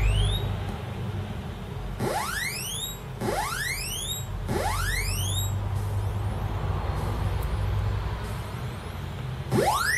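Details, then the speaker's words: Commodore 64 SID sound chip after repair, output through the SID bench test: clean tone sweeps climbing low to high about once a second, much clearer than before; the filter sweep now works properly. "that's a lot clearer and that sweeps in which that wasn't happening before"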